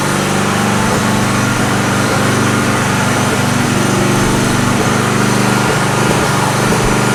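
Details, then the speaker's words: Generator running on a homemade tri-fuel conversion kit; steady-speed drone with uneven lean dips every second or so: rough running. Owner suspects the hose's tiny inner diameter restricts fuel flow; unconfirmed. "does it work yes is it pretty terrible yes I think the main issue is this hose is Tiny on the inside I think this is our main restriction right here"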